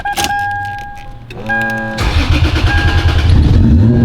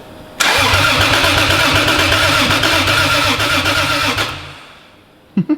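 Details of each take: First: Turbo Lexus IS300 first start after build, no intercooler fitted yet; recorded inside the car, clean start, crisp idle and smooth even revs; normal revving, healthy. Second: Turbo Lexus IS300 on new standalone ECU, first start after 14 months: starter churns evenly about four seconds, engine doesn't catch; crank no start, needing more fuel in tune.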